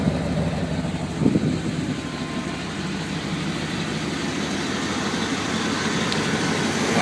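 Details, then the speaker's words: 1995 Chevy Tahoe LT K1500 4x4, 5.7L V8 with TBI, K&N filter and Thrush muffler, 167,740 miles: deep, steady, loud but even V8 burble at idle; aftermarket exhaust note, nothing faulty. "I don't know how well we can hear it but so that's the uh the thrush muffler"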